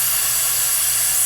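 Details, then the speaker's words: Air Star 30 dual-head oilless compressor purge valve/solenoid check during maintenance: gradual steady high airy hiss with no thump or rattle, purge venting cleanly with a little condensate, no oil; normal. "do you hear the gradual hiss guys you can also take the extension sheet off of it we're purging that"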